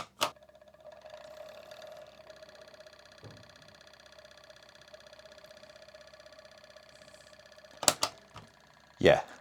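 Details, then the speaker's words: PlayStation 1 on power-up: loud steady whirring buzz with a nasal mid tone and rattly edge from the CD-ROM drive; worn spindle motor hub and dry bearings needing service. "I've had lawn mowers that sound better than that so that's our first problem"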